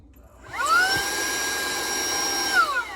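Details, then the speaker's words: Wyze handheld vacuum, delivered under a month ago and never used or charged: the motor whirs up to a steady high whine, lights flash out-of-battery, and it powers down after about two seconds; no charging lights even after 4 hours plugged in. "It starts up, but the lights flash and it powers down."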